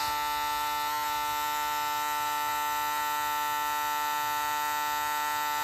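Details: Andis shaver (owner suspects a burnt board): a steady high-pitched motor buzz with a strong mains-like hum, no load changes; the shaver heats up quickly, overheating.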